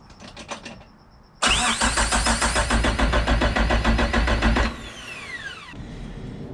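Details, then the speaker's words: 1986 Suzuki Samurai turbo diesel, first start after fitting a rebuilt injector pump, timed and primed: cranks, catches with a loud even clatter about three to four beats a second, then shuts down; runs far better than the old pump; normal start. "it's timed the engine is timed i mean everything is adjusted hooked up and completed and i must say it runs amazing it runs so much better than that other ejector pump ever did"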